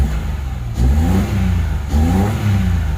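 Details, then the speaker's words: Mitsubishi Mirage after spark plug replacement; a worn plug had caused misfiring and stalling on acceleration. Two clean blips with pitch rising and dropping smoothly, no stumble or miss; normal revving before shutdown. "Normal eh. Normal siya eh. patay yan."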